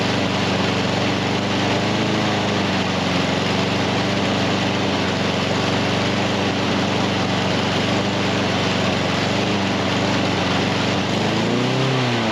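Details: Husqvarna HU700F mower that won't stay running, after greasing parts and freeing a slightly stuck pin; runs loud and uneven, revs wandering and sagging near end.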